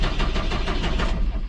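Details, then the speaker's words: Old John Deere tractor that conked out while fencing. Low, lumpy cranking with uneven chuffs that stutter and never catch; won't start. The owner suspects a fuel problem and plans to change the fuel filter. "it sounds like a fuel problem because it stuttered and didn't start"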